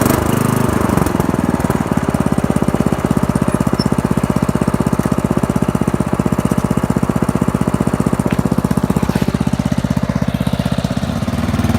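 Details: Old Murray riding mower with a 12 hp Briggs & Stratton engine, cold start after the fuel is turned on: steady, even single-cylinder thumping at constant speed with no misses or knocks, running smoothly; runs, rides and cuts well.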